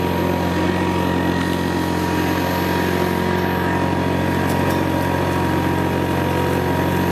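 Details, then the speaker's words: 1975 Hoover Senior Ranger U4002 vintage upright vacuum: steady motor drone with a fast, slightly uneven flutter, a mild vibration likely from the brushroll end, where a small spring clamp holding it steady is missing. "there we go that little bit of vibration you could hear there I think that's just the brushroll in the end it sometimes does do that"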